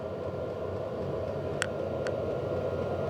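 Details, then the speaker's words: HCalory Toolbox 2 12V diesel heater on 12V DC power station, past glow-plug startup, more airflow, pump ticking faster, draw below 50 watts: steady fan rush with a couple of sharp, crisp pump ticks; running normally. "So I've definitely got more airflow coming out of here now. That pump is ticking a lot faster, and we're only down to below 50 watts now."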